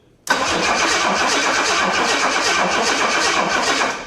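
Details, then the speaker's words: 1984 Jaguar XJ6 automatic after sitting 20 years: strong, even cranking for about four seconds with no firing; an inline checker confirms spark, so a fuel-delivery problem is suspected. "Whatever spark we had, I think it's gone. It wasn't even a burble."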